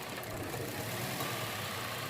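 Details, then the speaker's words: Toyota Vios petrol engine idling with a low, uneven shaking beat; it misfires and sometimes stalls on pull-away. Lifting cylinder 1's coil changes nothing, so cylinder 1 is dead from a failed ignition coil, later replaced. "ก็ปกติยกขึ้นก็สั่นมีแค่สูบ1ครับสูบเดียวครับไม่มีผลเลยนะครับคอยจุดระเบิดเสียแล้วครับ"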